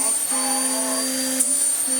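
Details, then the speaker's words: Vax Power upright vacuum after filters refitted, hose removed: piercing high brush roll squeal over steady low honking drone from a bad air leak somewhere in the body; new belt fitted. "oh, you can hear the brush roll screaming. You can hear it honking where there is a horrific air leak somewhere in it, somewhere."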